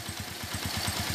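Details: Suzuki Shogun 125 RR during a major service, after a problem where it would not idle and kept dying: even single-cylinder putter at about eleven beats a second, now holding idle normally.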